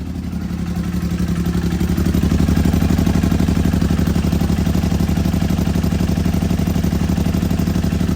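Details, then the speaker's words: Can-Am X3 after swapping from a Garrett 43mm turbo to an FP Green turbo, MoTeC standalone removed, first start: loud, choppy, lumpy fast idle like running on 2 cylinders; fuel pressure low at 50, MAP sensor relocated afterward. "Well, it sounds like it's on 2 cylinders."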